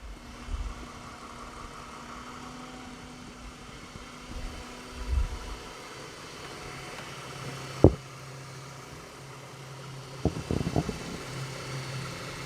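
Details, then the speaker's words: 2010 Ford BF Falcon wagon idling after replacing the water pump; oil pressure sender leak fixed. Low quiet whirring hum, no squeal, chirp or rattle from the belt pulleys. Normal idle. "It seems nice and quiet down in there now. Everything is just whirring away nicely."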